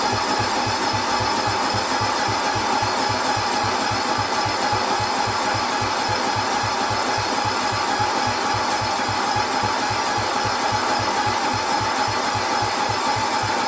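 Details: 1972 John Deere 110 with an 8 hp Kohler: steady rhythmic cranking with even compression pulses, tried with ether and throttle, but it never fires. Cranks but won't start; no spark was seen, and the cause is not confirmed.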